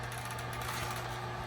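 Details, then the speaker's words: Radon fan sitting flat on a table with a clipboard on top, moving only a few CFM at maximum working pressure: loud, steady low hum with a strained whir; fan at maximum working pressure with restricted airflow. "So there are cases where the fan is moving close to no air, right? We It's moving a little bit, a few CFM you can you can hear. And I've got this clipboard on top cuz it's just quite loud."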